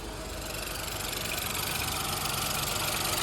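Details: Ford Fiesta 1.0 EcoBoost three-cylinder at idle; sharp regular tapping about four per second above engine hum, internal knock attributed to improper maintenance.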